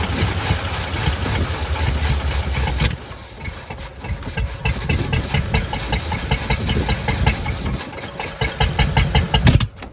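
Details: 1985 Chevy C10 half-ton long bed, 305 V8 with stock Quadrajet carburetor; cranks and catches roughly, uneven idle, then sharp pop; backfire on start, owner suspects fuel or possibly a wrong distributor install.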